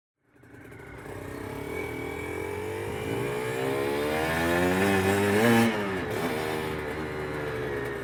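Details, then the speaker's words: Aprilia RS125 1990s two-stroke on first road ride, accelerating: pitch climbs fast and flares without road speed following, then drops back; clutch slipping badly, giving up as it reaches the power valve. "No, the clutch is slipping really badly, to be fair. You can probably hear it, can't you? It's a meow."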